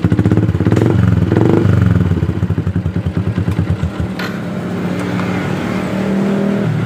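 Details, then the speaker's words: Yamaha Jupiter MX starting and settling into a steady, even putter at idle after the starter relay (bendik) was replaced, fixing a click-but-no-start fault; normal idle. "nah motor sudah kembali normal stater bisa nyala"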